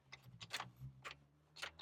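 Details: Cheap Hummer H2 on push-button start: quiet sharp clicks, several a second and unevenly spaced, with no cranking. Owner suspects heavy corrosion; C suggests a low battery. Clicking, no crank.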